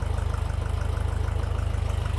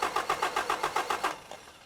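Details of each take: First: Toyota 22RE with new fuel system wouldn't start; new same-part-number pump (different brand) gave too little fuel pressure, so old pump refitted: engine catches after a few seconds, revs briefly, then settles to a steady even idle, starting normally. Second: Toyota 22RE engine in an X-chassis buggy with an all-new fuel system (pump, two filters) and a new starter: about ten even cranks at roughly seven per second, no firing. The new different-brand pump with the same part number is suspected of low fuel pressure.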